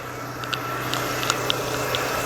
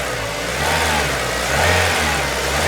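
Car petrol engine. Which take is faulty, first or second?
second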